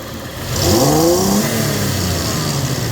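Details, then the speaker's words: Toyota Tacoma 3.4 with code P0171 system too lean, lacking power at high speed: at wide open throttle revs climb but sound flat and choked; mass airflow signal peaks only 3.2-3.4 V instead of 4+ V, so a dirty MAF is suspected. "So 3.2, and you can hear the engine sounds like there's a restriction, like it's not breathing right."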